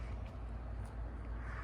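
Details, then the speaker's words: 52-inch Sears/Emerson Turn of the Century ceiling fan, reportedly never used, running on lowest speed: faint steady motor hum under quiet airflow, no clicks or rubbing; screws checked tight, hum not considered major. "so we're going to start on a lowest speed now this van does hum has an interesting humming noise and I I made sure all the screw were good"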